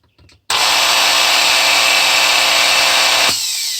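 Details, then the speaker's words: Makita GA5010Z 120V 10.5A angle grinder: motor roars up with a harsh, gritty, rough whine and vibration, then coasts down; worn rear motor bearing, motor running hot. "yeah I can hear it it was grinding was vibrating pretty good from this part of the grinder"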